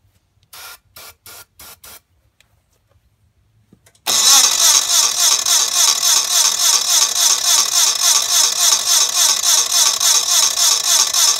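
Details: Gravely 450 tractor Onan CCKA engine cranking on a new replacement starter, 45-year-old original starter removed: after a few clicks, brisk even chug at about three and a half compression beats a second; strong cranking.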